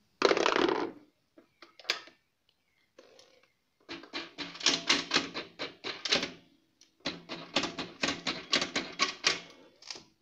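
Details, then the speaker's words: Honda Beat scooter hard to start: bursts of rapid dry clicking, several per second, no cranking; for Beat and carburetted Vario usually the starter relay system in the CDI is faulty, not battery or bendix. "Karena untuk sebagian besar kasus untuk Honda Beat dan Vario Karbu itu permasalahannya ada di sistem relay pada CDI-nya."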